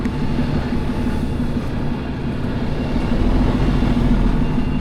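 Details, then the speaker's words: Truck trailer rolling after two leaking air brake chambers were replaced and airlines swapped to the right way round. No ABS warning lights, air leak gone, all wheels turning. Steady, even rolling rumble with no scrape, squeal or drag: brakes released. "Oh, there we go. No draggy brakes. I don't think anywhere."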